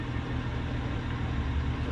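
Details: BMW F01 740Li twin-turbo petrol, warm at about 70°C idle: deep rumble stumbling unevenly as one cylinder drops out, worsening as it warms; intermittent misfire hot or cold and in gear, traced to a faulty injector.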